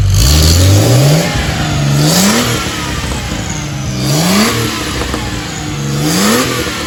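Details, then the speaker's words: Porsche 911 964 Turbo after fuel pump replacement: four clean throttle blips about two seconds apart, pitch rising sharply and dropping back evenly; strong, healthy normal revving. "caught it back in the garage it sounds great sounds like a beast so she's gonna rip she's gonna be a ripper"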